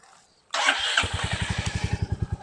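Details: Stolen, abused Royal Enfield Meteor 350 single, first start: starter whirrs briefly, then it fires and settles into an even, steady low thump; starts readily and runs cleanly.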